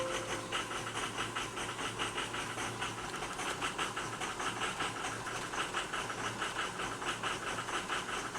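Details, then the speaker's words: 2005 Ford F250 6.0 Powerstroke diesel with rebuilt oversized injectors (190cc, nozzles 30% over stock) finally starts after a no-start and runs rough with an uneven, lumpy beat and hiss; ICP high, IPR 40%, power balance erratic, cylinder 3 suspected over-fueling. "Oh, now it decides to run. But at least you'll be able to see our ICP is kind of high, but with it rough."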